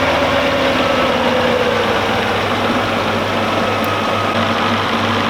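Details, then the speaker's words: Audi S8 4.2 V8 (340 hp) on LPG, after a crank-no-start from a shorted blown fuse and a bad coil causing a cylinder 5 misfire: now an even, steady idle rumble with no skips or stumble; engine runs smoothly on all cylinders. "but right now the engine is running smooth, so it's not a problem the LPG to start up."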